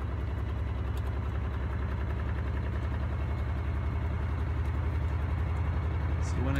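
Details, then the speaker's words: Miele W418 washing machine on final spin, possibly overloaded: heavy rapid low thumping about 220 per minute building as the drum slowly gets up to speed; loud spin noise, cause unclear. "It's coming up, I can hear the noise on it now."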